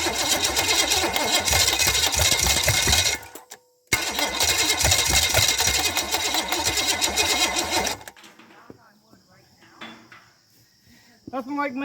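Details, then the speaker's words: $50 unknown-history Chevy 305 small-block V8, first start attempt with no fuel hooked up, just checking spark: steady cranking with no firing; owner thinks it tried, needs more fuel and a little more timing. "i think it tried we'll need more fuel"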